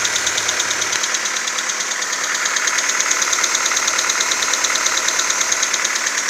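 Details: VW Golf 4 1.4 AHW petrol on 5W40 Castrol Magnatec, cold start idle: fast, fairly regular light knock about three per second; nearly inaudible once warm, leaving distant ticking and shuffling, engine runs smoothly; owner unsure if normal.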